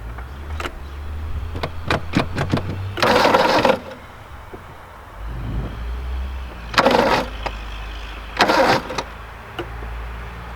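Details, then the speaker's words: Engine turning over freely and evenly in intermittent cranking bursts before fuel is added, no fire yet; intake is rubbing on the alternator; normal cranking. "that sounds positive the intake is rubbing on the [Applause] alternator but the motor's spinning so that's a start"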